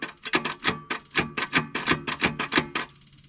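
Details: 1978 Ford Courier sitting for 29 years, at about 25°F: rapid uneven clicking from the starter with no cranking, engine won't turn over; owners suspect the engine or a stuck clutch is locked.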